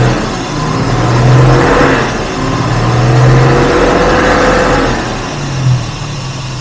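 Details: 1967 Jaguar Mark 2 3.4 automatic, in park, warmed up after repairs: engine swells and settles in smooth slow waves without stumbling, popping or knocking, a nice idle once the choke/enrichment device turned off; normal idle.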